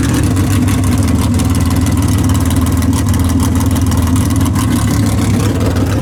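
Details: Big-block Chevy V8 in drag car "Bad Penny" after tunnel ram swap, track testing: lumpy, loud exhaust beat holds an even, steady rev with no misses or knocks; sounds healthy.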